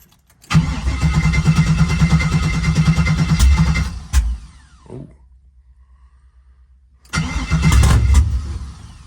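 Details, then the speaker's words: Engine that had been sitting: starter cranks about three beats a second, pauses, cranks again without catching; probably out of fuel; crank no start, fuel starvation. "part of that problem was probably it's out of fuel there we go get it back to the fuel rail"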